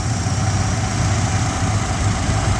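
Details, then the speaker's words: 1987 Jeep Grand Wagoneer, fully rebuilt rare AMC 401 V8 with FiTech fuel injection, new distributor, plugs and wires, just started: steady, even low rumble with no knocks, misses or ticks. Quiet, smooth, normal idle. "As you can hear, it started right up."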